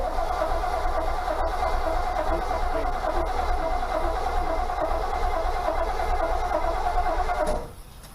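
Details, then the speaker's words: 1969 Firebird after clutch work, long-sitting engine: starter churns about seven seconds with uneven chugging and never catches; slow cranking, hard start, blamed on sitting so long, owner says pump the gas. "Pumping? Oh, it's just been sitting for so long."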